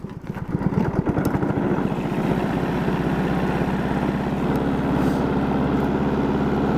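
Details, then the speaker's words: Honda Harmony 215 mower after carb cleaning (idle mixture screw broken, not cleaned), warm: catches after a few firing pulses and settles into a steady, even idle with no misses; normal idle on restart. "Sounds like he's got his chainsaw running."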